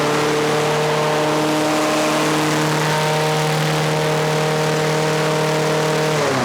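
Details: Trash-picked Craftsman 6.5 HP 21-inch push mower screaming at a high, steady speed with a flat buzz, no hunting; governor arm stuck at the carburetor, not controlling speed (later freed with PB Blaster).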